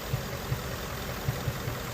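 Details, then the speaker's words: 2017 Ford Mustang GT 5.0 Coyote V8 idling, codes P0302/P0316, cylinder 2 misfire; cause unfound; uneven idle with a soft irregular low thump every half second breaking the rhythm. "Bueno, estamos aquí con un Ford Mustang del año 2017 5.0, un conocido Coyote, tiene un Miss Fire en el cilindro dos y voy a mirar el tiempo del motor."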